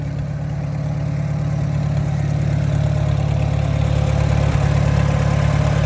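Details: 1952 McCormick Super W6, serial 664, live power, good runner; steady, even low putter at idle with smooth regular beat, no knocks or misses; healthy idle.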